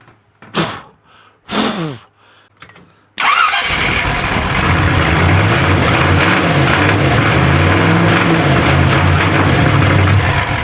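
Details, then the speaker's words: Truck engine just started on a $200 Temu knockoff carburetor: the idle wavers and stumbles with uneven pops, coughing back through the carb. Owner suspects it is running lean. "I'm going to fart around with this a little longer, but I bet you she's lean cuz she is popping all sorts o"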